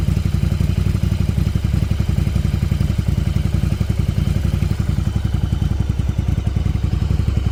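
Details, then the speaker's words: 1994 Yamaha Virago 750 chopper V-twin after fixing an intake vacuum leak: low, even thumping, settled idle around 1,000 rpm with no hunting or surging; normal idle. "now you can see she's idling right around the Thousand like she should exactly what I wanted it's amazing how just a little vacuum leak like that can make your bike run so bad"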